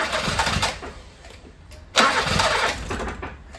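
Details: 1980s Toyota Tercel barn find, first start attempt: two bursts of starter cranking chugging without firing; cranks but won't start, owner suspects no fuel or an empty carburetor bowl.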